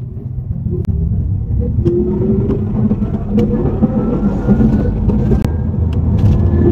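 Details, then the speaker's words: Car driven in from Singapore with underbody noise and vibration, front drive shaft already replaced; at road speed a thin whistling whine rises when the throttle is pressed, over tyre rumble, with a noise also on steering; source unknown, drivetrain suspected. "Lagi ada satu sound awak tekan minyak boleh tahu tu. Tak tahu tu dari mana."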